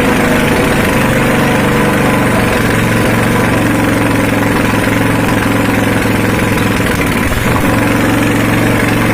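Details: Honda GX240 petrol stationary engine that died suddenly after sitting unused for days, running after service with an open exhaust. Loud, harsh single-cylinder bark, but the beat stays steady and even with no misses or knocks; normal running.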